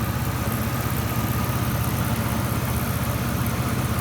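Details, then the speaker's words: 2001 Chevy S10 crew cab 4x4 with a newly installed replacement engine: steady even idle, smooth low pulse around three per second, no knocks or misses. Normal idle, runs mint. "She runs mint. Definitely a good runner right here. We did good on this one."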